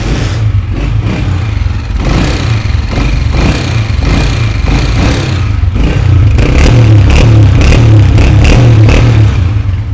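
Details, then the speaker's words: Honda CG 125 after a low-budget engine noise repair with tappets set to 0.08 gauge: final sound test shows a steady single-cylinder beat rising cleanly with revs and no top-end tapping; normal running. "तो आपने देखा पहले वाली आवाज़ कितनी बुरी थी और अब का आपने साउंड भी देख लिया है।"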